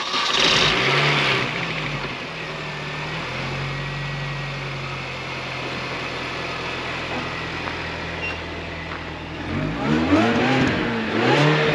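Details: Manual Mini Cooper after reassembly (water pump, cooler lines, oil filter replaced) and throttle body cleaned of grease that kept it from closing: engine fires, revs briefly, holds a smooth steady idle, short blip; normal start and idle.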